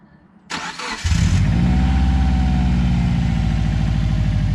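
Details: Subaru after replacing the leaking water pump and timing belt, torqued to 130 ft-lb, coolant refilled, after a failed first attempt: brief crank, quick catch, then a smooth even idle with no misses; healthy start.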